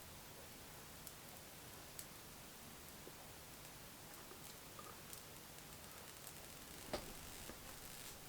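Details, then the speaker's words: Miles Hivolt IT30 hipot insulation tester at about 20 kV and rising: faint irregular ticks and crackles over a quiet hiss, a loud corona discharge arcing around the high-voltage output connector, with the current meter wavering and rising. "all that noise is coming from Mike arable rockin it quite a loud discharge now sounds to be coming they'll come around that connector somewhere"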